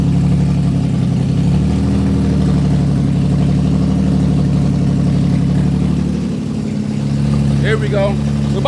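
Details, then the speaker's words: Infiniti G35 idling after a starting problem was traced to one wire, with no exhaust or cat, just straight headers: loud, deep, lumpy exhaust drone with a brief dip and recovery; runs, just very loud. "so she runs but she runs these challenges loud as hell but we didn't have you know i don't have an exhaust or a cat or it's just straight header"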